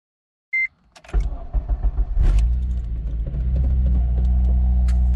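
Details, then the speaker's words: Honda Civic with K24 swap, after replacing worn K21 crank pulley with new Honda OEM pulley: short chime, crank, then steady, even idle with no high-pitched rotational whine; fault fixed. "We are good to go, guys. Good to go. No more of that. No more of that high pitch rotational noise. Fix the problem, guys."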